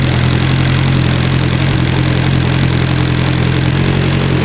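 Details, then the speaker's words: Evo engine that had started knocking, running after a bad cam gear was found and the cams replaced: loud, even idle with a smooth steady rumble, no knocking or ticking; sounds healthy, normal idle. "I know hell yeah that thing's healthy that sounds good that's a healthy son of a [ __ ] huh"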